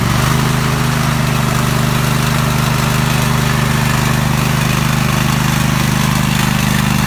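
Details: Single-cylinder lawn mower engine running after replacing a blown head gasket, started on choke: a steady, even putter with no misses, knocks or surging. Normal running.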